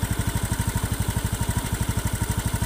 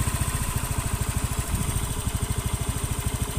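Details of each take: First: Hot Honda Beat FI scooter engine idling and on throttle with a coarse, rough clicking knock on every firing pulse; rough only once warm, with weak power on climbs; found to be a loose valve guide, suspected piston damage. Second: Honda Beat FI (K44/K81) scooter at idle after repair of loose valve guide and compression leak; even low putter, no ticking or rough knock, engine now smooth after about 6 km of riding; earlier rough clicking appeared when hot.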